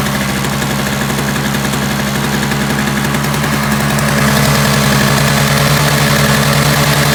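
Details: Free roadside Toro single-stage snowblower, two-stroke, started with some Seafoam added to the fuel: buzzes along steadily at fast even revs, picking up slightly partway through, no misses or stumbles; running properly.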